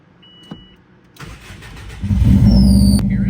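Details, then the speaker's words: First start after GT3076R turbo install (T51R mod) with custom intercooler piping, untuned: engine cranks and catches, thin high whistle rises over idle; normal turbo whistle. "you hear it that's the turbo whistling that sounds insane"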